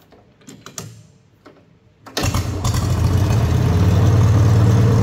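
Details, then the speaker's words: Wisconsin THD air-cooled engine, previously rebuilt, fitted with a short head in place of the aluminum one, on a bench: fires after a few clicks, settles into a steady even thrum, no knocks, quieter; normal running. "I just kind of thought that head was cool, but man, it definitely makes it quieter."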